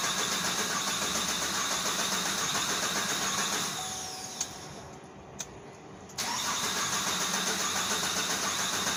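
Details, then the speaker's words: Engine cranks with steady starter churning, pauses, then keeps cranking without firing on first start attempt. Extended crank, no start. "I guess not well it finally started but engine power reduced and p127c fuel rail pressure we may have a problem underneath the manifold"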